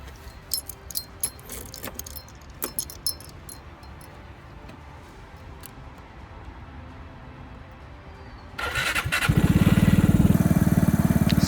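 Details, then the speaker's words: Vespa GTS scooter first start after an engine rebuild, reused Malossi exhaust: a few handling clicks, then the engine catches at once and settles into a steady, even fast idle; a healthy start. "okay here we go here's the uh first start of the new engine"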